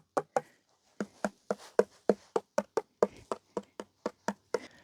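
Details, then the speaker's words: Floor tiles laid by a contractor who claimed to use double buttering; sharp taps ring hollow and papery, showing missing adhesive beneath the tiles. "Alors, il m'a dit qu'il pratiquait le double encollage. Super. Et ben, écoutez, ça ça sonne creux déjà."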